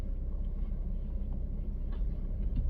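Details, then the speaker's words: 2014 Honda CR-V test drive at low speed after tightening the rear sway bar linkage, which caused a rear bobbling noise (shocks not replaced); only low steady road rumble over bumps, no rattle from rear; quiet rear suspension after fix. "it's uh it's totally tight now 100% yeah fully cranked and what's more no noise"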